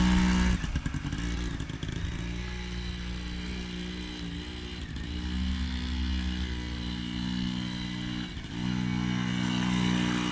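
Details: 1980 Yamaha QT50 two-stroke on test run after eight years idle, new exhaust gasket, throttle cable and fuel lines: buzzes along with pitch rising and falling smoothly with throttle, no misses or rattles; normal running.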